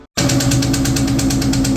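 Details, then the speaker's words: 2003 SVT Cobra, first start of new fully forged engine: fast even ticking about eight per second over steady idle; valvetrain tapping from a cam follower found completely off its lash adjuster. "It sounded good for a little bit, and then developed some sort of tapping, knocking, or something."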